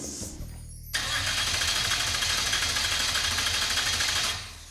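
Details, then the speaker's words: Mazda that had never been heard running, on its first start attempt. The starter spins quickly and evenly for about three seconds but it never catches; the computer shows no fuel pressure because the pump isn't running. "Oh, does it show fuel pressure? It's telling me we don't have fuel pressure. Well, yeah. The pump's not running."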